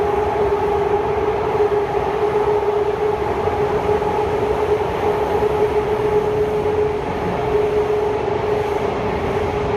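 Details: Kawasaki Heavy Industries C151 train 101/102 on the North South Line, Marina Bay to Marina South Pier: steady high-pitched wheel-on-rail screech over running rumble, cause unclear.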